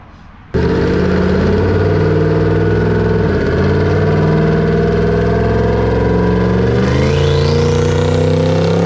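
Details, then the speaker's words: Twin-turbo Coyote V8 on a dyno, run on four cylinders with one bank's injectors unhooked. Under hard pull the drone rises, then breaks up and falters twice. Misfire under load seen as erratic air-fuel, boost not dumped; something more suspected, unconfirmed. "Misfiring, but it sounded like, if you see the graph, it laid over, something else was happening, not just misfiring."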